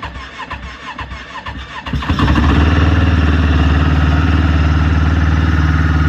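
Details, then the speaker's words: 2016 Yamaha Venture Multi Purpose snowmobile, 499 cc four-stroke, cold start after cycling the key to prime the fuel pump: quiet clicks, then it catches at once and settles into a smooth, even idle of about four pulses a second; healthy cold start. "just let this warm up so it's been running for a little probably two three minutes now it's plenty warm i'm sure"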